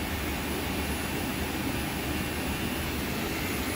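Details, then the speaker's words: Friedrich VRP air conditioner with a swapped-in MCS inverter board: steady airy fan roar with a low compressor hum, running normally and blowing ice-cold air. The board sometimes stops on code 47 (high compressor current). "And I walked back over here and I'm like, do I hear the fucking compressor running? I'm like, put my hand up here, fucking ice cold air is blowing out."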